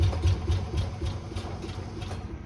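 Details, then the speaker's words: Classic car V8 started on pure ether, then hooked to gas: low, lumpy idle stumbling and surging like gasping once the ether burns off; fuel starvation, so much gas was used it wasn't sucking any more up. "so as my partner and Prime pointed out I've used so much gas messing around I wasn't sucking any more up"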